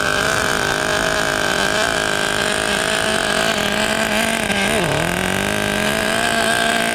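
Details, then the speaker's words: 1994 Team Associated RC10GT with OS 15 CV-X nitro engine, first start after about 20 years of storage: small engine buzzing high and steady with a brief dip and recovery, burbly rich tone; mixture rich, idle set too high. "Nice and rich. Lower the idle a little bit."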